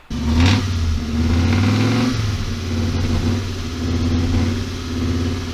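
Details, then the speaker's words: Audi Coupe B3 with Bosch K-Jetronic injection: engine catches but revs wander and surge unevenly; rough running because the fuel metering unit plunger wasn't moving properly due to dirt in the system. "and the reason it wouldn't run right is because in the metering unit the plunger wasn't um going up and down properly because after 10 years there'd be rust maybe right there wasn't any rust in it but there was dirt in the system"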